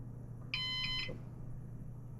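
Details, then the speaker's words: Used Synology DS418 NAS, first power-on with newly installed drives spinning up: single short high beep over a low steady hum signalling it has finished booting; normal boot. "Okay, so that beep there is showing us that we're finally fully booted up."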